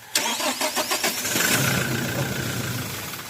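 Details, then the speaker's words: Toyota Hilux 2GD diesel, hard start persisting after fuel filter change: quick cranking, engine catches briefly then fades and dies after priming; air bubbles seen from fuel filter, stalling after start from air in fuel line. "So yan kung mapansin niyo kaya pala siya namamatay dahil ah hindi buo yung fuel na lumalabas galing sa filter."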